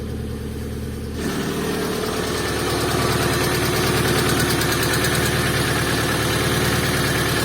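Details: Opel C20XE engine in Moskvich, frosty cold start with weak battery after hydraulic lifters cleaned; catches after short crank, settles into steady even idle, brief lifter tick quickly quiets; normal idle.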